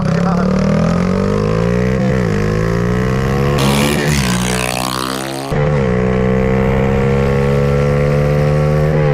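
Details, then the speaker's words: Honda XR80 engine in a shifter kart with clutch and gears, driving flybys after a restart; revs hard and pulls cleanly through the gears, crisp even firing with no misses or knocks; healthy, strong power. "So here's the rundown. She rips. I think it's the perfect power."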